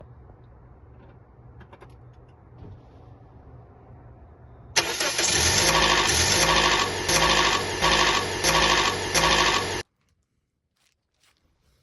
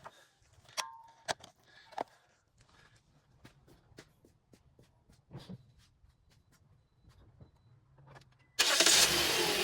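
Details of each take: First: 2008-2010 Toyota Corolla 1.8L petrol engine starts with a loud, harsh metallic clatter for several seconds from timing chain rattle, tensioner to be replaced. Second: 2008-2010 Toyota Corolla 1.8L during timing chain tensioner replacement for a rattling noise; quiet clicks, then engine cranks and catches into an even idle with no rattle; normal engine start.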